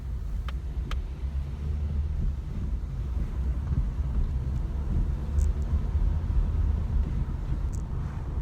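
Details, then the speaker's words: Ford Mondeo driving after replacing four split rear subframe bushes that let the subframe knock against the body: steady low road rumble, no knocks or clunks from the rear suspension; knocking gone. "Silence is golden. The knocking has gone. Yeah, we've got a result."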